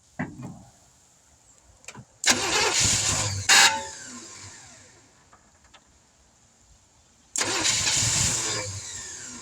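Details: 1971 Chevrolet C10 after sitting for decades, cold outdoor start, a little fuel poured in, no fuel pump: two short cranking bursts with brief stumbling fires that die out. It won't keep running; owner guesses not enough fuel.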